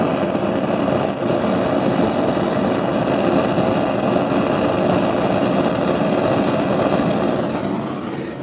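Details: Gas stove burner while cooking gives a steady, loud rushing roar, far harsher than a normal flame; the owner blames a device used by downstairs tenants. The cause is unconfirmed.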